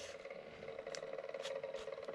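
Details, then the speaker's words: Brand-new shucked Seagate One Touch 5TB drive mounted without dampening in a Q-See QC918B DVR: a steady mid-pitched hum with faint rattles that echoes inside the case; vibration likely ringing through the undamped mount, suspected. "but kind of rattles and Echoes inside there with the noise we'll see hopefully it'll last"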